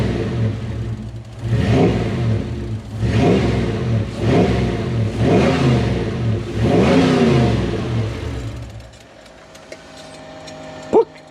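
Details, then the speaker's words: Toyota 1UZ V8-powered Hiace van revved in rough blips, spluttering, misfiring and dropping cylinders; injector drive suspected, with wiring loom issues and oil in the petrol noted. "have we dropped the cylinder now that's what it's been doing it's been misfiring and dropping cylinders"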